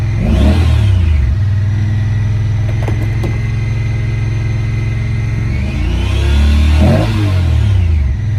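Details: 2017 Honda Pioneer 1000-5 at 1200 miles with check engine code 9-2. After each rev the engine drops back to a high, unsteady idle. Factory over-crimped wires at the idle air control valve plug had broken inside the insulation; the plug was replaced and recrimped.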